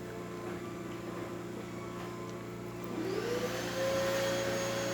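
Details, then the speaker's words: Gaggia espresso machine with newly replaced water pump pulling an espresso shot with too-fine grind: steady buzzing hum straining to a tighter tone as pressure builds, no leaks at group head or portafilter; pump working hard but normal. "No leaks coming out from the portafilter as well, and the machine is pushing through even though it's working really hard."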